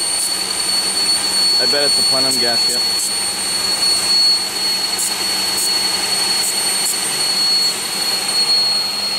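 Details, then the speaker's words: 2001 Pontiac Aztek GT with rebuilt engine at idle: steady thin high whistle holding its pitch, traced to a vacuum leak at the upper intake plenum gasket, which was loosely bolted. "I think I found it so it's coming from it's definitely coming from the funding gasket it's not even as loud as it was"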